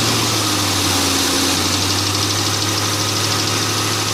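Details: 2002 Mustang GT V8 at idle with fast light ticking over a steady idle, keeping pace with engine speed; owner suspects an exhaust manifold gasket, unconfirmed.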